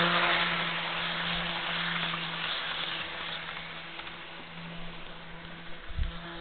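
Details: Jouef Amtrak RTG Turboliner model train, first test run after rebuild with Kato F-3 drive replacing worn-smooth worm gear: steady even motor hum fading smoothly as it runs away, no stutter or clicking; normal running.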